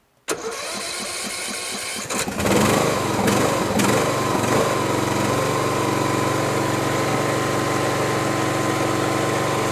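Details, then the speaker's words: Briggs & Stratton-engined Poulan riding lawn tractor after replacing a muffler that rattled from a loose internal plate: brief crank, catches at once, steady even idle with no exhaust rattle; muffler fix successful, engine run briefly when cold-early. "Sounds great. Sounds really good. Really sounds great."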